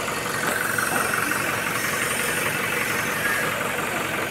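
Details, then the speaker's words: 2019 Toyota Hilux 2GD diesel after a noisy timing chain was repaired, no warning lights: even, steady idle with a smooth regular beat and no rattle or knock; the engine sounds healthy. "So yung andar ngen ay parang brand niyo talaga."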